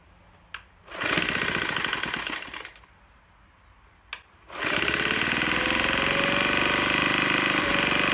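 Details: Troy-Bilt TB4HB EC leaf blower, unstarted 4–5 years, full choke, primed: short pull catches and dies, then fires into a ragged buzzing run with uneven beat, running rough. Breather loaded with oil; owner suspects compression leaking past rings.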